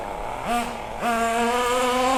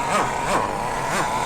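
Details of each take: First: MP9 nitro RC buggy after the high-speed needle, leaned too far until it starved, was richened back: crisp rising wail, revving cleanly from idle to full song and fading off. Pulls strong and clean, though the low end is now slightly lean. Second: Kyosho MP9 nitro buggy during first-run needle tuning, with the mixture leaned too far: the high buzzing engine rises in short bursts about three times a second but keeps falling back and won't accelerate. It is running too lean and starving.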